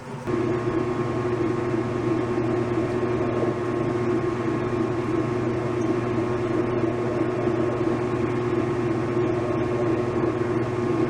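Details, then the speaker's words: 1989 Whirlpool LA5400XTWO top-load washer after cleaning crud from under the tub: even steady hum, soft drone, no screech or grinding; the earlier loud grinding at end of spin is gone, smooth stop. "well it it's not that horrible noise that it was making before it does make a noise when it stops"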